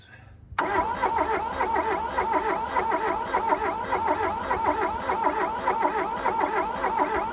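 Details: 1982 VW Rabbit diesel pickup (Caddy) that sat 20 years in a junkyard, cranked with a hotter battery and glow plugs heated: the starter churns steady, even compression beats but the engine never fires. It cranks, no start.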